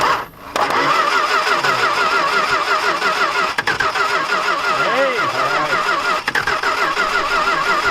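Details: Dodge stepside big-block truck jumped to the battery, a little fuel fed into the carburetor and a weak battery: a quick rhythmic cranking whirr with a few ragged chuffs as it tries to catch, but it never runs.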